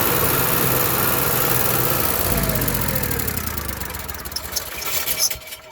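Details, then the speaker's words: Onan Marquis Gold 5500 generator runs roughly only with choke partly held, then pitch sags and it dies: lean running and stalling from clogged carburetor jets; surging, fixed by cleaning the carburetor. "okay the only way i can keep this on and running is a mini manipulated choke"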